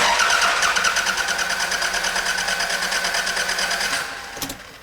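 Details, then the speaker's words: 1999 Toyota Camry 2.2 L that won't start, checked for a broken timing belt: the starter spins the engine quickly and a little unevenly, about three beats a second with no firing and little resistance, suggesting low compression; broken belt suspected. "I think you heard what I meant for you to hear which was it doesn't sound like there's a lot of resistance as the engine is turning over"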